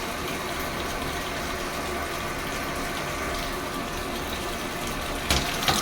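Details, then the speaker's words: Sharp ESX958 automatic washing machine after replacing the water level sensor for E2 error: strong, even-pressure water rush into the tub, no interruptions or error; previously water stopped, now filling normally. "ये देखिए पानी गिर रहा है इसमें पहले पानी जो है वो रुक जाता था गिरता नहीं था पानी बिल्कुल सही आ रहा है"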